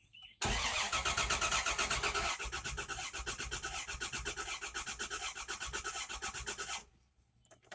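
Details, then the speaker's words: 1995 Dodge Dakota with fresh battery, fuel gauge on empty: even, steady starter cranking about four beats a second for six seconds, never firing; cranks but no start, owner suspects lack of fuel. "engine turns over fine doesn't sound like any issues with the engine turning over"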